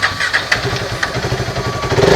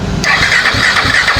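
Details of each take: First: KTM RC 390 single that would not start, with no check light and the temperature reading full high, now after an ECM board repair. Starter whirs, then it catches and settles into a quick, slightly uneven idle thump; normal start and idle. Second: KTM RC 390 motorcycle that won't start, check light missing and temperature reading full high: starter cranks at a steady, even churn, about four turns a second, but never catches; shorted or dead ECM is the cause.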